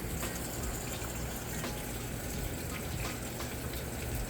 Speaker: hear that water running down in there filling the tub up now so I just wanted to be able to hear since I can't lift the lid up and show you